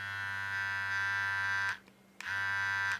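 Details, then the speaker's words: Philips QC5380 trimmer after fixing blades that did not move while the motor ran: two short runs of a steady mid-pitched buzz with a clean hum, starting and stopping crisply, in normal and turbo mode; works like new. "like new. If I go to the turbo mode, works great."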